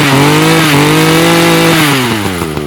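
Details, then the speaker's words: Echo two-stroke trimmer with Zama carburetor after cleaning the jet, sat for years on ethanol fuel: crisp steady buzz holding even revs with slight sag near the end; running clean and ready for use. "So that is all cleared out. So it's now running very good and it's ready for use."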